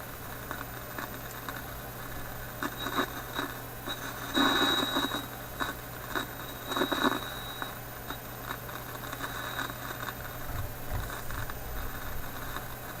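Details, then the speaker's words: Philips 922 vacuum tube radio restarted cold after sitting a few hours, on current restriction at reduced voltage: faint hum with irregular, intermittent crackle and pop bursts; the owner suspects the IF capacitors, not confirmed. "that crackling seems to be there which doesn't seem too affected here around the highest battery"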